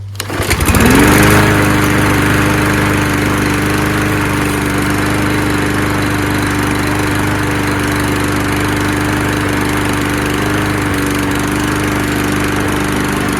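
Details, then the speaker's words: Mower with auto choke, no primer, picked off the street, black oil, gas in it and a big carburetor bowl; starts quickly but idles slightly uneven and hunting, running rough before fresh oil and gas. "it does sound a little rough I was just about to roll it into the back but I think I might have to work on it"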